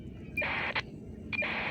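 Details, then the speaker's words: Two short hissy digital data bursts about a second apart over quiet static on 464.600 MHz, heard on a cheap listen-only radio: the 450 MHz GPS base radio sending corrections normally on a clean channel. "that's a curious little digital kind of pulse, wouldn't you say?"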